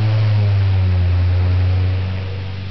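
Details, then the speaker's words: Rare unrestored Adams Bagnall-Jandus 12-inch stationary fan with Adams Bagnall split-phase motor, four-blade, switched from high to medium speed: smooth, even low hum, no rattle or scrape, settling quieter; running normally and very quiet. "that's medium speed very quiet fan for a ford four winger"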